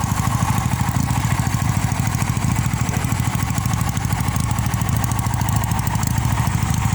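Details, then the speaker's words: 1973 Honda CB175 inline two-cylinder motorcycle, original, old school. Even, lumpy twin-cylinder idle thump about three beats per second with a distinct thud, no knocks or rattles; healthy running. "Dia 2 silinder khas. Segaris tapi nggak kayak Ninja ya."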